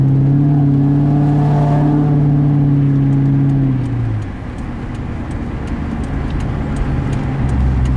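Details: 1999 Ford Mustang GT engine revved then back to idle: steady, even deep knock about four per second; owner suspects rod knock, unconfirmed.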